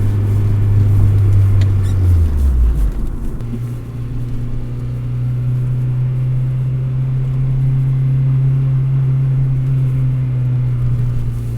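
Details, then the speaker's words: 2003 Acura RSX Type S with Energy Suspension bushings, aftermarket motor mount and engine damper: deep steady idle drone with low throb carrying into cabin; stiff bushings transmit engine vibration through the frame, shaking the car at idle and rattling coins. "it has energy suspension bushings so the engine kind of vibrates throughout the entire frame that's why during idle the car starts to shake"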